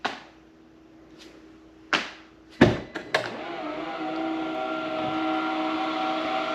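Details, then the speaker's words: Polestar 2 in garage, heard from outside at the rear: a few sharp latch clicks then a steady, loud motor hum as the lid lifts on two big struts: normal power tailgate opening. "Going along the car, we are going to hear the trunk opening."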